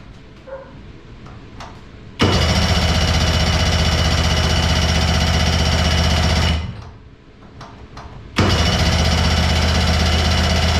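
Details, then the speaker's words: JetStar 1250 boat engine, first start after purchase with fresh fuel, carbs not rebuilt: catches instantly, runs steady, drops away, then fires straight back up and holds smoothly; starts and runs fine. "Fires right up, baby. I can't believe that, dude. I didn't rebuild the carbs or nothing."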